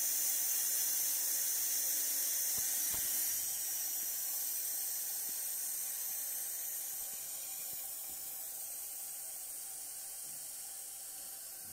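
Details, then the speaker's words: Toilet wall-hung cistern after repair (plastic seal reseated): steady water-filling hiss easing off as the float closes the inlet; normal refill, no more leaking. "suyumuz tamamen doldu şamandıramız kendini çekti Evet şu an için su kaçırması yok arkadaşlar"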